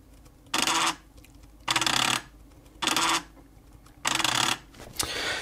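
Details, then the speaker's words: Panasonic JU-475 5.25-inch floppy drive, about 1990, head seek commanded via FluxEngine board: four harsh gritty buzzing rattles about a second apart instead of clean ticks; seek mechanism binding, needing cleaning and relubrication suspected, cause unconfirmed. "i should be able to use the flux engine command line tool to make it do a head movement yep and you might be able to hear that is not a good"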